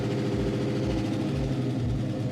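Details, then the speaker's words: 500hp Rambler station wagon, first start in a long time with the fuel pump wired direct to the battery: freshly started V8 idling with a light quick lifter tick at 50 psi oil pressure. The tick went away once it warmed and built oil pressure. "50 pounds of oil pressure luckily has a lifter tick oh all right I'll let it warm up green outside"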